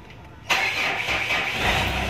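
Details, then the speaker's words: Mitsubishi Montero Sport, cold engine, started after the P2413 check-engine code was erased by scanner: brief crank catches instantly into a steady, even idle with no misses or knocks; check-engine light stays off, normal cold start. "Dahil malamig pa yung engine, so mamaya pa natin ihataw ng hataw yung pag-rib. So painitin natin yung engine."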